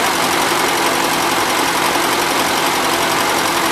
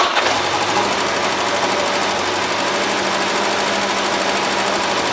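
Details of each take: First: 1977 Gravely GMT 900 running on old gas with slight smoke; even, busy drone holding steady speed with no misses or heavy knock; no oil or antifreeze leaks; owner expects fresh fuel and a carb clean to help; normal running. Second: 1977 Gravely GMT 900 running on old stale fuel, carburetor needing work, fuel pump spraying fuel: small engine chatters fast and unevenly with buzzy note, then dies away; rough running, cause suspected, not confirmed.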